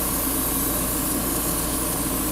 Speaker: can probably hear my airbrush sputtering a little bit because I've been doing tons of painting, and she needs a good, solid, clean.